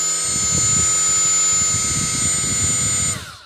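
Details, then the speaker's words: Milwaukee M12 die grinder with a different, better-balanced Roloc abrasive disc: clean steady high-pitched motor whine, no wobble or chatter, only slightly noisier than with the stock attachment; normal running, no vibration. "no vibration minimal noise just mostly motor I mean there's a slight amount more noise with this in with this in than just the the stock piece that comes out by itself"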